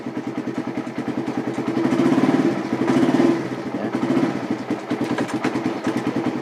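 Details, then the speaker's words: Motorcycle fitted with an anti-theft switch that kills the engine when a gear is engaged, switch still off, in neutral: even idle putter with regular firing pulses, no knocks or misses; normal idle. "posisi netral, motornya normal, tidak ada masalah sama sekali."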